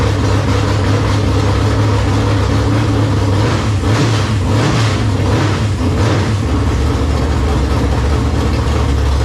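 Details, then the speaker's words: 1971 Ford Mustang with freshly installed V8, long-tube headers with the exhaust open, full choke, oil system and carburetor primed: deep, even, loud rumble with a steady low beat, no knocks or misses; normal running. "I think we'll have to leave the exhaust off for the first test drive too. That thing sounds rowdy with those long tubes open."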